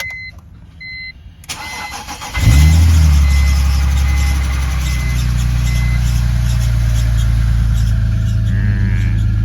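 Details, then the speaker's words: BMW E46 petrol six cold start on a freezing morning: brief chirp from frosted new belts, then rough rattle while oil pressure builds, believed to be a worn main timing chain tensioner spring after high mileage. "But what you're hearing there is, I believe, the main timing chain tensioner."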